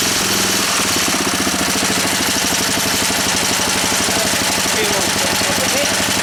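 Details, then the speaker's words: Honda E300 generator engine running, still awaiting a new plug: fast, even popping from the small single-cylinder engine holding steady speed with no misses or knocks, normal running. "we've got an engine that works you see"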